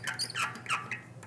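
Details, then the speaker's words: Bicycle rear hub quick-release skewer being closed on a fake dropout after hub overhaul: several short, high squeaks as the lever swings closed; dry skewer cam needing a little lubrication. "that needs some lubrication a little lubrication here"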